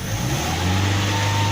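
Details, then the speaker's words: Toyota Innova 4-cylinder after checking spark plugs and coils, pedal raises revs from idle: steady even note with no stumble or missed beats; engine normal, normal rev, no misfire. "Nah, kita lihat di sini tadi suaranya adalah tidak pincang. Nah, ini menandakan bahwa mesin sudah normal dan layak untuk digunakan."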